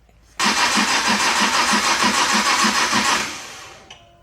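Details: Nissan R33 GTR S1 with a fresh NISMO build, run with no coolant: an even starter whir with regular compression pulses about three a second for three seconds, never catching. The engine turns freely and hasn't locked up, but won't fire.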